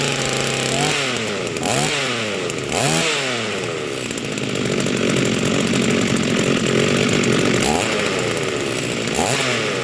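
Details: Rebuilt vintage Stihl 036 chainsaw with aftermarket Meteor piston and cylinder, new crank bearings and seals, new muffler and clutch, rebuilt OEM carb; first run, revs up and falls back to steady idle, clean, no misfire or rattle; healthy.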